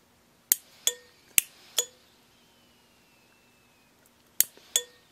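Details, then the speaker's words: Wiring test, fusible link rated 100 A overloaded with bimetallic thermal circuit breakers: sharp metallic clicks in quick clusters of two to four then a pause as breakers trip and reset; fusible link smelling but intact. "I think the breakers are clicking and the fusible link is melting but it's still connected that smells terrible let me get this outside the bi-metallic strips you could hear them they were opening and closing"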